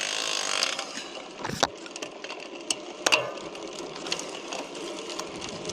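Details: Chris King R45D rear bicycle hub: irregular sharp cracks and dry ticking clicks over a light whir; same fault came back after an earlier internal parts replacement with little riding, and the cause is unknown.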